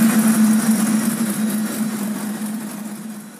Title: Porsche 911 964 cranking up after starter motor repair